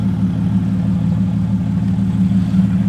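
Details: Engine idling after a long struggle to get it starting, running with half the exhaust missing; loud raw exhaust pulse, steady even beat, no knocks. Flywheel machining, new clutch packs and clutch bleed still pending. Normal idle.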